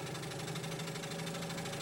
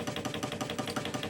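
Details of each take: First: Hegner scroll saw after replacing the worn cam link that caused a noisy rattle: smooth whirring climbs steadily in pitch as the variable speed is turned up to full speed, with no knocking at any speed. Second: Hegner scroll saw at slowest speed: a steady, quick knock about seven or eight a second from play in the worn cam link connecting the blade arm to the motor cam; damping it by hand removes the noise.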